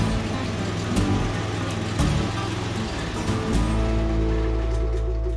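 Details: Briggs & Stratton V-twin on a Husqvarna Z246 zero-turn mower, suspected governor issue, started after relay replacement: uneven lumpy running with revs hunting up and down, running on one cylinder, traced to a broken pushrod.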